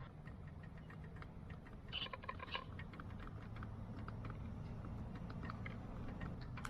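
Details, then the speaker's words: BMW E30 (early model) window motor with switch held: light, uneven clicking about twice a second under a faint low hum while the window won't move; switch swapped and ruled out, motor suspected of being gummed up and not spinning. "but I do hear the clicking on that motor so the motor is more likely going to be the issue"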